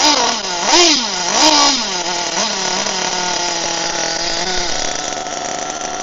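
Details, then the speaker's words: HPI Firestorm nitro RC truck after fixes for stalling when braking: the engine revs up and down, then settles into a steady buzz, and no longer stalls when braking; running normally. "let's get it going again but when I applied the brakes it didn't stall"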